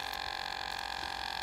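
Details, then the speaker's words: New-style Mark II Draeger air pump with air monitor popped out: faint steady whir with rapid even pulsing and a thin tone; pump keeps running normally. "I got it took me out you could hear the pump is still going"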